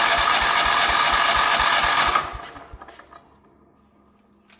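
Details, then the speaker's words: 1977 Wheel Horse B-100 garden tractor: steady cranking at about 3.5 turns per second with no catch, only backfiring through the carburetor. It cranks but won't start; the owner suspects the timing is off. "All it wants to do is backfire through the carburetor. Doesn't actually want to start, which leads me to believe that it's potentially out of time."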